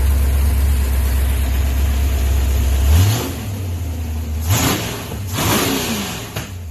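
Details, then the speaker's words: Car "Project ENRON 64" (Twin J edition) running well with timing set to 32 degrees: strong rumbling idle with a few clean throttle blips that pick up and settle without misfire or stumble; normal running. "You guys can hear it actually finally runs. Runs good. I got the timing set at 32 degrees."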